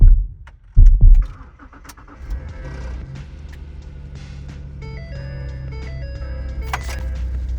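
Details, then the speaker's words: 2014 Ford Taurus start-up after timing chain and water pump work, transmission fluid flush in progress: cranks briefly, catches cleanly, settles into a steady idle with high-pressure fuel pump ticking audible; normal start and idle. "I just stopped the video, but it just started up. It seems to be idling well. So, you can hear the high pressure fuel pump um ticking."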